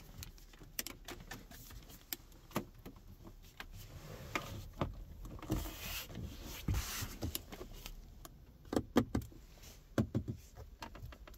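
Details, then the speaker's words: 2024 VW Tiguan 2.0 TDI 4Motion R-Line, gloss piano-black interior trim pressed by hand gives sharp irregular creaks and clicks as loose panels shift; a quiet dashboard-area buzz/resonance also occurs while driving. Interior trim creak. "No cóż, jest piano black i coś tam skrzypi, coś tam się rusza."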